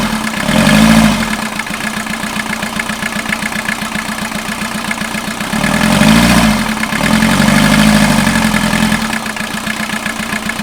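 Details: 1989 VW Jetta mk2 diesel, 5-speed, about 118,000 miles, revived after sitting about 14 years, on new fuel and a new battery: catches, settles to a steady idle, a few quick revs rise and fall cleanly; runs even and healthy.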